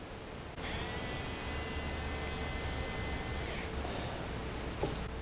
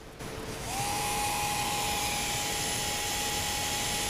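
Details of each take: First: Nerf blaster flywheel motor on a test battery pack: spins up to a steady, high, clean whine for about three seconds, then stops. A Rhino motor showing normal bearing sound, compared with rough-bearing motors. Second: Hellcat MTB 180-size Nerf flywheel motor run on a test pack; steady high whine with a harsh gritty rasp, a horrible rough bearing noise compared with a smoother Rhino motor.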